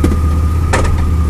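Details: 2002 Chevrolet Blazer at idle: one sharp metallic clunk and slight jerk shifting from reverse to drive; owner also notes drivetrain vibration on throttle changes and gear-oil leak; cause unknown.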